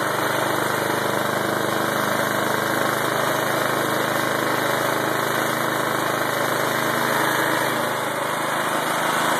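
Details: Lawnmower-engine generator converted from gasoline to propane via ball valve, 1/4" hose and tank adapter tied into carburetor fuel line connector: small single-cylinder steady even buzz, no misses or surging; normal running on propane.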